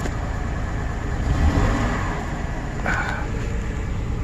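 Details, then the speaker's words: 2005 GMC Envoy with rodent wiring damage, codes just cleared: running rough, uneven stumbling beat shaking the body, a misfire traced to cylinder 3, still to be verified. "it is running rough it definitely feels like a misfire misfire this is a five cylinder"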